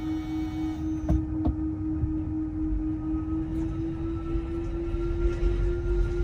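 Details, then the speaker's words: Tesla Model 3 Performance, unused for two weeks, put in reverse with parking brake set and windows down: steady low hum rising slightly in pitch, the normal federally mandated reverse warning sound. "the new model threes actually have this thing where it's federally mandated where you put it in reverse and it has to make a sound"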